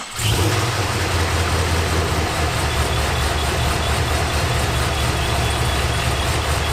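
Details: Pontiac GTO with ProCharger supercharger refitted with a brand-new impeller and new seals, first start after reassembly and adding antifreeze: engine catches quickly and settles into a steady, even idle with no knocks or whine; running normally.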